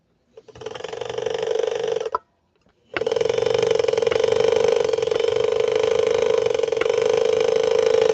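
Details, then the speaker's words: "Swedish Beauty" sewing machine, motor powered up on arrival, light dims on power-up: steady, laboured droning hum rather than a free spin; motor struggling and running very hot, cause not yet known. "That does not sound good, does it? Listen closely. That's not the way a Swedish Beauty should sound."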